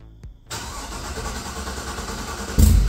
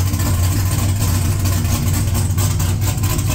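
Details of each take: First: Loud, deep V8 idle with a choppy cam lope and a couple of throttle blips from an LQ4 engine build swapped into a 1985 Pontiac Trans Am with a hot cam and 4in exhaust, on a later first start; normal healthy lopey idle. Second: LQ4 V8 swapped into a 1985 Pontiac Trans Am, first startup after build: deep idle chops and stumbles unevenly, then dies after about six seconds; rough idle and stalling, owner suspects startup tune needs more base airflow.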